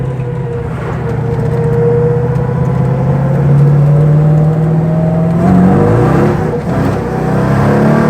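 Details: MGB Roadster with a tuned 4.6 V8, at wide-open throttle in 2nd gear: strong clean pull, pitch climbing steadily with no misfire or hesitation, though traction is still a problem; healthy acceleration.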